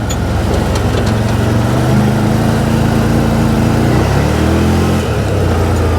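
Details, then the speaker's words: 2012 Bennche Spire 800 UTV on a hot day after repairs, partly reassembled, cruising the yard. Steady engine drone that climbs cleanly as it picks up speed, no knocks or stumbles; brakes weak but working. Normal running. "it's got a little pep pick up and go that's good brakes aren't the greatest but they work"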